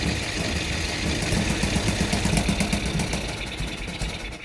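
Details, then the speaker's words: Mini NASCAR go-kart, after draining water from fuel and carburetor: catches and runs unevenly a few seconds, then fades and dies, no longer flooding; stalls after starting, cause unconfirmed. "So close. It's not flooding out this time."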